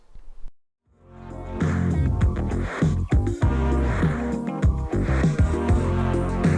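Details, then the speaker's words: Sony WM-F65 Walkman cassette playback during repair sounds dull and boomy with almost no treble; adjusting the head assembly restores treble but makes it chew tapes, so it is set back muffled. Owner suspects head/roller alignment and a very worn pinch roller. "so yeah not sounding too flash um as i said each time i adjust the hit assembly to make it sound really good and bring the treble back um it started chewing tapes which i think is the alignment"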